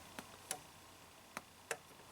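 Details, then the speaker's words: 1998 Saturn, about 300k miles, overheating in town and on hills; scan tool toggling fan relay gives four crisp clicks in the fuse and relay center: relay control working, though the fan itself does not run. "So toggle it on, off. You can hear something clicking in the fuse and relay center."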